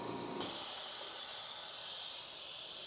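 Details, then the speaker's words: Eastwood QST 3060 scroll air compressor shut off after first pressure build: motor stops and sharp steady hiss as pressure relief valve vents, normal shutdown. "that sound is a pressure relief valve."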